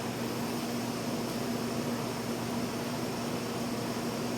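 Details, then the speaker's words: 1957 Chevy truck frame build, TIG welding: soft even hiss with faint steady hum, no crackle or pop, a clean quiet arc; crackling would indicate poor gas coverage or electrode stickout. "It's so quiet, you hear what's going on."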